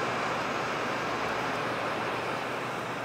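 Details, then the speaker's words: MSI GT70 laptop (i7-3610QM, GTX 675M) running 3DMark Vantage with CPU and GPU fully loaded: constant loud airy fan whoosh with no ticking, rattling or pitch wobble; louder than in normal use but healthy. "the fan noise on this is a little bit higher than expected. Again, we're working the CPU and GPU really hard right now, so that fan is operating much louder than I would say during normal use."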